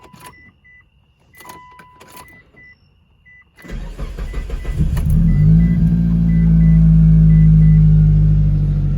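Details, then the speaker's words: 2006 Mitsubishi Eclipse GS after fuel pump replacement, pump primed three to four times: key-on chimes, short crank, catches into a steady even idle with no stumble; normal start and idle. "And there we go, guys. That's a success."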